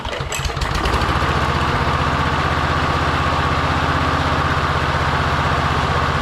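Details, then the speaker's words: Victa push mower with a Briggs & Stratton engine, found in hard rubbish, first start after priming: small single chugs steadily at about four beats a second, uneven and lumpy, like it's running with the choke on; cause not confirmed. "It actually starts. So that's really really good. All right. It just like sounds like it's got a choke on or something."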